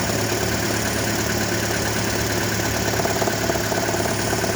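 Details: 2012 Toyota Prius idling with a heavy, coarse, fast rattle of about three or four beats a second that comes and goes and grows heavier; cause unknown.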